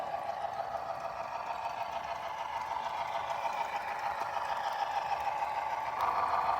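Steady buzzing whine with a rattling edge that climbs slightly as the loco runs; sounds like loose gearing or motor mounting. Cause suspected, not confirmed.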